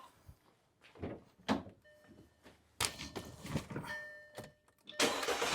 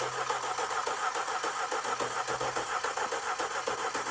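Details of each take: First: 2012 Audi A5 brought in as no-start after client's plug and Duralast coil replacement: a few clicks, engine catches straight away, smooth even idle; coils deemed fine, Bosch coils to be fitted. Normal start and idle. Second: 2012 Audi A5, no-start after client replaced spark plugs and Duralast coils: starter cranks about three and a half beats per second with lopey, uneven cadence and no firing; broken, wire-tied coil connector found, cause not confirmed. Uneven cranking.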